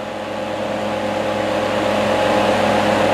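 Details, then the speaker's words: Portable dog fan bought 2013, motor torn down, cleaned and lubricated with WD-40 after it made a racket; smooth, steady hum rising slightly and staying even until switch-off, no rattle or scraping, much quieter than before. "The motor is much quieter than what it was before when I lubricated it."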